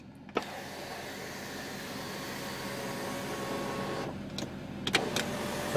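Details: Mercedes-Benz S63 AMG W221 sunroof, which had been grinding and failing to operate, after the faulty one of its two front motors was replaced: a smooth, even motor hum ending in a clean stop with no grinding or ratcheting. Normal operation.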